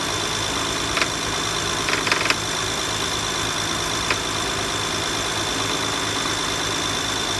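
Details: BMW E92 335i idling: faint high whine with scattered metallic clicks and rattles; cause found to be the power steering pulley rattling, though no visible pulley movement.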